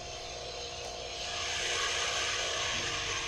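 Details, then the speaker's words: Pool pump with a SkimmerMotion automatic skimmer installed: as suction is diverted from the skimmer to the pool cleaner, the steady rushing hiss grows louder and rougher, the pump laboring and cavitating from restricted suction. "as we increase the amount of resistance in the suction line because we're channeling more of it from the pool cleaner you can hear the pump laboring"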